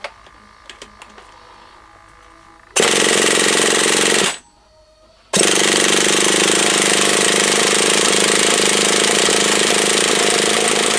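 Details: HPI Savage SS nitro RC truck, first start attempt after years in a shed, primed with glow starter on: high-pitched buzzing bursts that catch, cut out after a second, then roar again; engine fires but won't stay running, cause unconfirmed.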